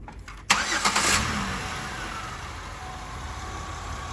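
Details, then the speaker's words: 2007 Buick Rendezvous GM 3.5 after head gasket repair for low compression in cylinder two: cranks, starts cleanly and idles smooth and quiet with no more chuffing. "as you can see nice and quiet no more cut cutting"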